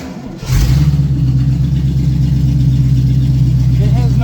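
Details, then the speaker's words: Open-exhaust 350 small-block V8 with no exhaust fitted, barely pressing the pedal while being moved onto the lift after a partial rear brake bleed; new fuel system. It fires and settles into a loud, deep, steady open-pipe rumble with even pulses, running healthy. "has no exhaust on it right now. But it is a mean 350 in this car. That's just barely pressing the pedal."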